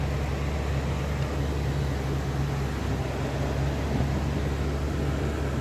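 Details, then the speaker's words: 2007 Toyota FJ Cruiser after replacing the noisy blower motor behind the glove box: a steady low hum of the heater fan and idling engine, smooth, with no rattle or squeal. "And now we don't have noise anymore."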